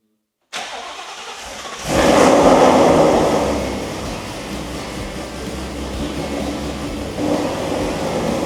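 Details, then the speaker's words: Built V8 Mustang first start after correcting ignition timing error: catches quickly, blips up with a deep rumble, then settles into a steady even idle without misfires; runs healthy, a couple of warning lights on. "And that is what she should sound like. You right. That's awesome. And it was all because I messed up on timing. I'm I'm seriously like surprised that it sounds so good."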